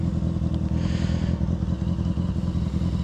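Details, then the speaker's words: Honda F4i motorcycle, old retired stunt bike ridden hard, idling in neutral: loose uneven clacking over the low thump; top-end clatter, owner suspects cam chain tensioner, not confirmed. "Yeah, something is definitely clacking. I don't know what the hell that noise is."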